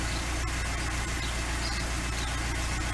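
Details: LADA 2102 with carburetor, first start after sitting a year: even, steady low idle with a smooth, regular beat and nothing knocking or missing; idling fine.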